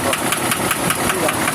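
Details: Cummins diesel with strange noise and heavy smoke: sharp, even metallic knocks about five a second over idle; an injector cut-out test is started, with the first injector suspected as faulty.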